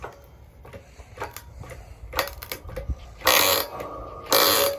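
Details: Harbor Freight hand-pumped hydraulic log splitter splitting old logs: irregular creaks and squeaky hydraulic strokes with a couple of louder hissing pushes, normal hand-pump operation.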